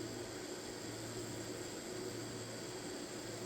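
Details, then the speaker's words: Newly unboxed Wormhole rotary tattoo pen loaded with a cartridge and run at about 5–8 volts: steady high-speed whir with a rough, gritty buzz and low hum; needle protrudes a lot, with excessive noise and vibration. "The needle's sticking out a lot. It's really noisy. It's noisy and it kind of vibrates a lot."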